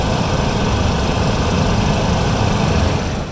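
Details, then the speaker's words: BMW i8 AC compressor (also cools high-voltage battery): constant low rough droning hum, noisy and shaking; AC still working, warranty declined replacement; known early i8 issue risking internal failure. "the air conditioning's working yeah it's a little noisy but you know we're not going to go ahead and cover a replacement just yet"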